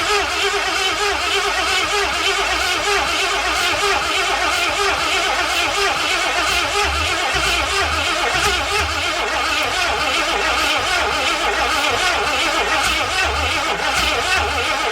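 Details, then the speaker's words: 1981 Ford Mustang 5.0 with open headers, parked since 1996, fuel poured into carburetor; loud rough uneven roar that never settles to idle, owner says he flooded it: engine stumbling and dying. "I flooded it."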